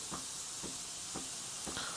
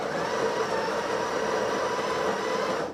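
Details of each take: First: Breville 870XL espresso machine steam wand test, mic near the pump. A thin, airy hiss with faint pulses about every half second gives weak steam; the pump sounds faulty, and replacement may be necessary. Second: Breville 870XL espresso machine built-in grinder, grind amount between 7 and 8, retested: even, steady grinding whir for about three seconds, then a clean stop; motor healthy and unstrained.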